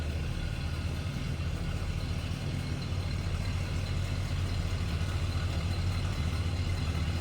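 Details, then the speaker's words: 1970 Oldsmobile Cutlass Supreme, Rocket 350 V8 idling: a deep, even, loping rumble with no knocks or misses; a healthy idle. "Nice little rumble coming out of that Rocket 350 underneath the hood."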